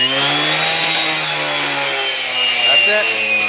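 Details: TS410 concrete saw started with quick-start spray in the muffler and choke on: high buzzing two-stroke note holding at high revs, pitch wavering slightly as throttle settles; the saw has fired and runs steadily, normal running.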